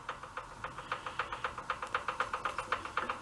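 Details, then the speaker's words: Half-scale VW dune buggy engine turned slowly by hand: quiet crisp clicks about four a second; owner suspects rod knock at the crank, possibly cam or piston end, cause unconfirmed, after oil-pressure trouble. "but I think that's a knock from a um a rod where it Mees to crank"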